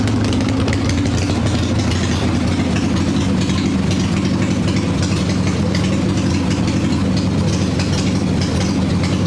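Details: Harley Evo Softail V-twin, warm, choke plate removed, carb bouncing, mixture screw seated: idle lopes unevenly with stumbling beats; lean stumble from intake air leak, as loose intake bolts and a cracked vacuum cap were found.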